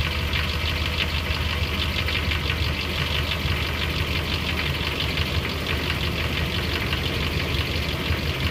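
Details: 2003 Dodge Ram 1500 4.7 V8 at cold-start idle gives a fast, even knock that fades to a light tick when warm, loudest on the passenger side. Owner suspects a broken exhaust manifold bolt; lash adjusters or timing chain are also possible.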